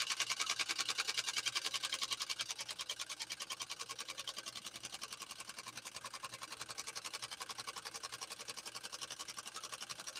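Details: PFAFF 130-6 sewing machine sewing its final embroidery-kit decorative stitch, music paused: quick, even ticking at about 3.5 stitches a second, light and steady with no knocking. The machine runs sweetly.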